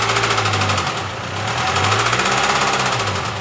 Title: Developed knocking noise while accelerating